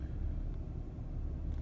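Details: Ford Taurus Vulcan 3.0 V6 being checked for intake, EGR tube o-ring and manifold runner vacuum leaks causing misfires: low even rumble, no lope or stumble heard; smooth normal idle, rpm needle now only barely bouncing.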